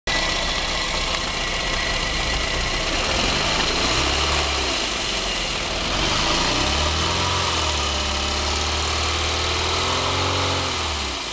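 Shaky idle, then revs rising and falling with an uneven, stumbling beat and heavy vibration throughout, a steady misfire.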